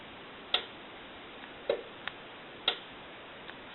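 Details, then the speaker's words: Stromberg Carlson wood wall telephone after repairing a broken coil solder trace and wire: crisp, irregular clicks from the analyzer engaging as the coils receive voltage; the coil repair works. "that's an indication that our coils are being fed with voltage and so we know that the repair is good"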